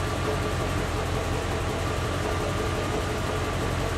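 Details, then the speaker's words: 1986 Corvette L98 TPI 5.7L V8 after EGR port cleaning; check engine light stayed off, smooth even idle rumble, no misses, knocks or surging, idling nice; normal idle. "so maybe that's why the check engine lights off but it's idling nice"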